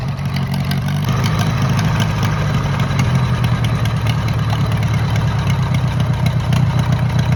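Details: Minneapolis-Moline model BF tractor that had been sitting over a year, started with choke on, settles into a steady, even idle with smooth throttle pickup, no misses or knocks; runs healthy.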